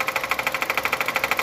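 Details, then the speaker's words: Hyundai Creta 1.6, idle with A/C switched off: sharp, regular pulsing tap about seven per second; stops when A/C is switched on; A/C also stopped cooling when noise began; cause not yet pinned down. "E esse carro também parou de gelar o ar condicionado. Parou de gelar e o barulho começou no motor."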